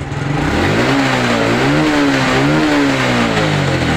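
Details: Honda Blade fuel-injected motorcycle engine revving up and settling smoothly with no stutter as the throttle opens, so the fuel pump and injector are ruled out; owner suspects wiring overheated by a wire left in the connector socket.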